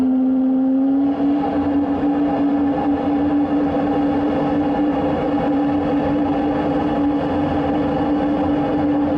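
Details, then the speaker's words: Soviet artillery tractor in frost, pre-start heater with glow plug on after the closed fuel tap was opened two turns: steady roaring burn with an even, slightly rising whine that settles and holds; heater firing normally. "Я думаю, сейчас запустим. Ждем 1,5 минуты. Свеча уже включена."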